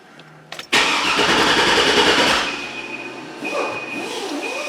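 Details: GMC Yukon Denali after replacing the engine computer with a salvage PCM: starter spins the engine steadily for about two seconds but it never fires; the replacement computer isn't yet programmed via security relearn.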